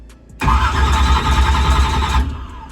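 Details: Drag race car with a Powermaster Ultra High Speed starter replacing a slow-cranking one: about two seconds of heavy, labouring starter whir, barely faster than before and drawing less power; owner suspects a bad battery or a need for 24 volts.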